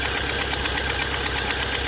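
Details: Fiat Palio Fire 1.0 8v at idle: fast sharp ticking in time with the engine, sounding like engine knock or valves, actually a burnt exhaust manifold gasket leaking.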